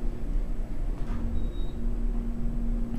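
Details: Old modernized Westinghouse submersible hydraulic elevator, pump motor heard while car travels: low steady drone with grumbly uneven undertone, sounds worn and rough though the ride is better than it sounds.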